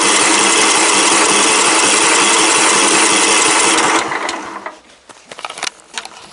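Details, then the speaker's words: Craftsman LT 1000 riding mower with almost no gas in the tank: the starter churns steadily at about four beats a second for four seconds without the engine firing, then stops; cranks but won't start, likely from low fuel. "So let's go ahead and ain't really got no gas in it. Let's see if it's got enough to crank it and move it to the shop."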